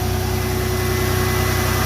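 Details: 1996 Toyota 4Runner with 3.4 V6, just started after two years sitting: steady, even idle pulse with a low hum and no knocks, misses or squeals. Left unrevved; idles normally.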